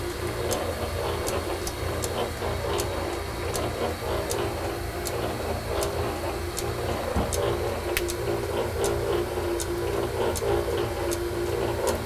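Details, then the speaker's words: Metal shaper being oiled during setup, with the main crank pivot completely remachined after it was wiped out: a steady mechanical whirr with an even tick about every 1.4 seconds and no grinding. The rack and pinion gearing runs smoothly. "that was an item I had to completely remachine and fit it was completely wiped out and uh you can hear the gear rack gearing and uh pinion in there and they're running pretty"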